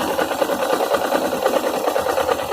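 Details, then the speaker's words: Suzuki GS 500E at idle: fast sewing-machine-like clatter; owner suspects cam chain tensioner, camshaft bridge, gear, or clutch basket (campana) knocking; source unconfirmed. "rami falando de partilhamento pode ser a pastilha momento pode ser tenso da corrente pensou da ponte de comando ou o pai engrenagem equipe fica aqui na onu magnético também o campana ou pode ser que esteja batendo campana"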